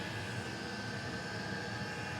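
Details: Custom hybrid water heater, Webasto water-heater body welded to a Chinese diesel heater, at max output with water near 90°: even, steady roar with a constant high whistle, no pulsing or sputter. Burning cleanly at full output.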